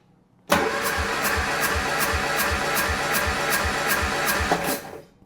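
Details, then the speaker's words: 1967 Triumph Spitfire Mk3 cranking with plugs out and fuel pump and coil unplugged for a compression test: quick even cranking; cylinder one reads 110, two slightly higher, three 130, four 150; owner suspects seized rings. "yeah 110 it's on the low side [Music] number two is a little bit higher let's see number three yeah 130 it's not too bad but number one was low"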